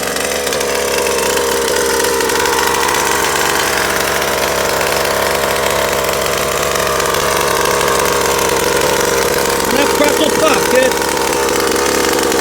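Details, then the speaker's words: Rovan Baja Max 5T 1/5 RC truck small two-stroke engine running for the very first time, fast steady idle with no misses or surging, clean and even on break-in heat cycle; sounds healthy. "that's it doing good she's alive sounds healthy"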